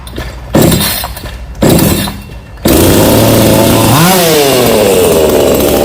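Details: Black Bull B-CS152 GB6 TOP 6000 chainsaw (45.2 mm piston, new air filter, new longer connecting rod) on 2-stroke mixed fuel, started with the choke on. A few rasping pulls, then it catches and runs steadily, revving cleanly: normal running.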